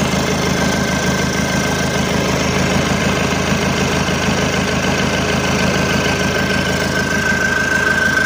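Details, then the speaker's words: Isuzu Panther 2.5 diesel after overhaul with liners and rings replaced, rebuilt again with standard pistons after heavy smoke: steady, even diesel clatter at idle with no misses or hiss. No smoke, no blow-by, oil pressure up. Normal diesel idle. "dan ini udah kita hidupkan alhamdulillah aman enggak ada asep enggak ada blobai nah ini Aman oli pun juga udah naik di sini"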